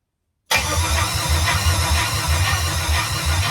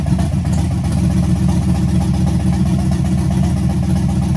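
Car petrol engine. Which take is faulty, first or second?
first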